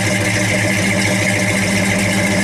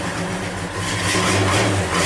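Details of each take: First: 1963 Chevy 1-ton flatbed truck idling; steady, even low idle with firm regular beat, no knocks or misses. Good running truck that needs a tune-up. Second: Cold start of a 1963 Chevy 1-ton flatbed truck with no choke after sitting overnight at about 48°F, throttle feathered to keep it running; lumpy, wavering rough idle, engine not happy until heat builds.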